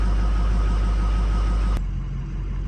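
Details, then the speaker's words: Ford 6.0 diesel with overheating and hot-crank no-start, first cold start after the IPR and oil rail work, with dummy plug and standpipes on the passenger side: deep, steady rumble with no knocks or misses; normal idle. "But this is a cold start right here, first time after everything. Dummy plug and standpipes on the passenger side, so doing pretty good."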